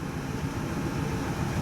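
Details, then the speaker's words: 2005 Ford van, 5.4L 16-valve V8, sat long, pulled into shop; low uneven idle with sputtering stumble, P0301 cylinder 1 misfire (coolant leak from intake manifold suspected), battery light on. "it is running like Dukey definitely has a misfire you can hear it and you can feel it like a sputtering kind of action"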